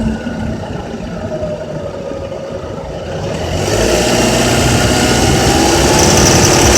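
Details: Honda Accord K24Z3 engine climbing through 2200–3000 rpm with a fast, even rattle of about four per second riding on top; source not pinned down.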